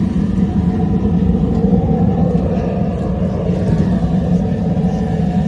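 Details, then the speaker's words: Waste-oil heater burner throttled down slightly to normal oil feed after the fan was cut off and oil added for residual burn: steady, even low roar from burner and fan, no surging or sputtering; normal operation. "i'm gonna throttle down just a little bit it's about normal right there"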